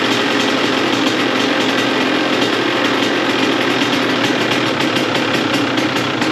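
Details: 2002 CR125 two-stroke after port work and carb rejetting, running without choke with idle turned up: crisp, steady idle with fast even popping and no stumbling or dying; normal idle, now running great.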